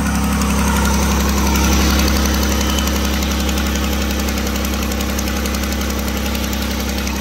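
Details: 2009 Dodge Grand Caravan with new ignition block, wires, plugs and battery, at cold idle: sharp, regular puffing tick about four per second. Exhaust manifold leak from a missing bolt, loud at start and fading as it warms.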